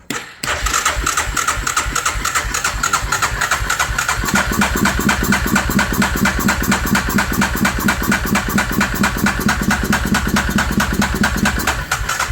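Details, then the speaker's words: 2003 Suzuki Vinson 500 ATV with manual gearbox, just started on a weak battery: fast, steady light ticking over a rough, uneven idle. Very tappy from loose, excessive valve clearance. "oh oh there it go yeah very tappy but he said it wouldn't idle at all"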